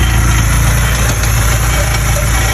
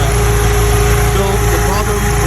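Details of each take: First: VW Mk1 Golf/Cabriolet with G60-swapped 2.0 16v engine idling loudly with a dense, buzzy rattle that travels through the exhaust; its exact location front or back is unclear. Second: VW Mk1 Golf/Cabriolet with G60 2.0 16v project, prepped for first drive: steady low engine hum with even, unbroken rhythm and no knocks or misses; runs cleanly, though an exhaust rattle is noted elsewhere.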